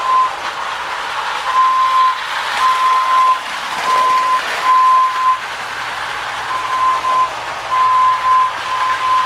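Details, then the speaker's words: 1930s Marx Mercury clockwork whistling locomotive after repair of slipping motor (pawls filed to engage sprocket), pulling tender and cars: spring motor whirs steadily at high speed with on-off whistle bursts; runs strong, normal. "okay oh it's not going to quite make it around but it runs pretty strong really happy with it"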